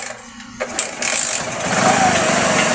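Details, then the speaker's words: Motorcycle after conversion to battery-operated 4-pin CDI ignition: a few cranking pulses, then it catches at once and settles into a quick even putter; clean start and smooth idle. "Ayan na mga kaibigan, ganda ng andar."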